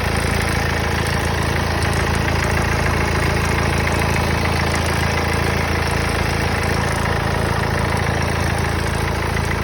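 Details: Mercedes OM651 diesel at idle: a steady, fairly regular knock about three and a half times a second over the diesel clatter. Knocking noise at idle, cause unclear.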